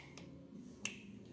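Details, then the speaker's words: Case 930 Comfort King tractor, injection pump removed: two sharp isolated clicks as the shutoff lever is worked by hand, showing play in the shutoff that shouldn't be there; cause not yet found. "you hear that clicking noise that's your shutoff and for some reason you got play in there and I don't think that place should be there"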